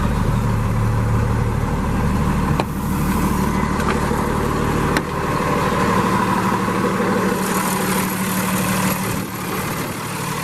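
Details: 2017 Freightliner M2 106 flatbed truck, Cummins ISL diesel (300 hp) with Allison 6-speed automatic, 198,000 miles, just started from the cab: steady, even diesel rumble with a low smooth beat, no knocks or misses; normal healthy idle.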